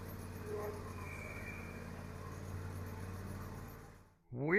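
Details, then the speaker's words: John Deere X590 lawn tractor with the microphone under the deck: a steady engine drone with a faint hissing whirr. Rattling underneath that the owner suspects is the drive belt idler pulley; the tensioner idler pulley is then replaced. "Sounds like maybe an idler pulley from the drive belt. Not quite sure."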